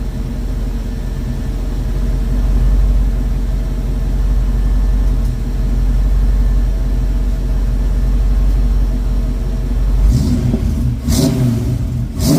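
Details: 1972 Mach 1 Mustang V8 with stock cam, restarted after running earlier (not quite cold), coolant topped up: smooth, even burble at idle with no miss or knock, then a couple of quick clean blips; runs healthy.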